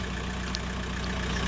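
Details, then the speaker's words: VW Golf 4 idling cold, warming up toward 90°, after replacing the water pipe seal on the cylinder head to fix a coolant leak: steady, even low hum, no knocks or misses; normal idle. "Donc je vais laisser tourner pendant 20, une demi-heure, ça dépend, parce qu'elle est froide."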